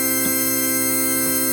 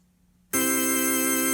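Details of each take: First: 1960s Vox Jaguar organ after cleaning voice selector rocker contacts: dead-steady note with no vibrato at all, bass also very quiet; traced to the bass low C divider vibrato oscillator module. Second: 1960s Vox Jaguar organ after replacing six electrolytic capacitors: after a moment of silence a full steady chord sounds cleanly, no crackle, hum or dropout, before switching vibrato on.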